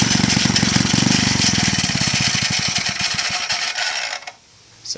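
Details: Villiers C12A small engine, unrun for about 25 years, choke off, no air filter: loose clattery beat near four per second, uneven, before cutting out, with the flywheel cover suspected of rubbing; runs rough, owner suspects a partially blocked carburettor jet.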